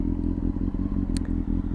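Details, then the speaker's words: Used motorcycle warmed up after about 10 minutes of riding on a cold 4–5 degree day: steady, even low thump at idle with no misses or stumbles and only a faint tick, idling cleanly. "But listen to the bike. Is it idling nice? Obviously, when it's cold, you're gonna have to choke it, or if it's injected, you won't."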